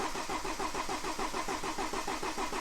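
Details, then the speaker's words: BMW 318d N47 diesel after timing chain and rocker cover replacement, fuel rail removed: steady rhythmic starter cranking about seven beats a second without firing, extended cranking (usually 60+ seconds) needed to refill the fuel rail. "Right then, now this is going to take some cranking because we've had the rail off, so we're going to have to wang this over."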